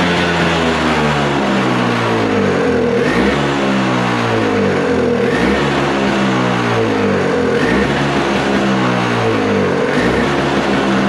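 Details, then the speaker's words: Toro snowblower with R-Tek (Briggs & Stratton) engine after carburetor cleaning and reinstall: revs surge and sag in a slow cycle of about two and a half seconds, never settling; owner suspects idle adjustment set wrong. "I don't think I have that thingy in there set right for the uh um uh idle."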